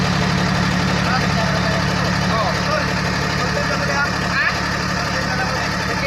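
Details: Komatsu D155A bulldozer diesel that previously would not start: steady, even idle with a deep, regular thrum and no knocks or misses; running normally.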